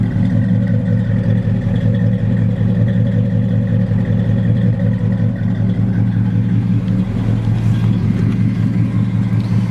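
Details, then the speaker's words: 1940 Ford pickup with 350 Chevy crate V8, Edelbrock 650 carburetor, high-rise manifold, dual exhaust, Turbo 350 automatic, 1,700 miles since restoration: deep, even rumble with steady exhaust beat, no knocks, ticks or misses; healthy, smooth, runs cool. "Nice and smooth, nothing radical, right? No, very smooth truck, very healthy engine. Runs nice and cool."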